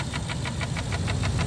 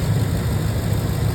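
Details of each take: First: 6.2L V8 at idle: sharp, even ticks about six a second, sounding like a lifter tick but no cover vibration; caused by failed intake manifold valves, since fixed; intake manifold valve ticking. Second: 6.2L engine with a faulty intake manifold valve unplugged: smooth even low idle with no tick; the lifter-like tick came from the bad intake manifold valves.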